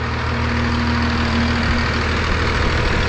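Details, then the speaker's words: 5.9 Cummins diesel after P pump to VE pump swap, sat 15 years, even steady idle with low rumble, no misfire or knock, after earlier rough running cleared up; runs smooth and healthy. "Well, she sure just runs good, runs really good, and I'm so happy that it cleared up."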